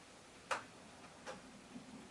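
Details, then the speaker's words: Commodore PET IEEE dual floppy drive: three sharp dry clicks about a second apart as the drive head bangs against its end stop during a brief anomaly in testing. "Oh. We had an anomaly for a moment, but it seems to have passed. We'll see about that. Did you hear that head banging?"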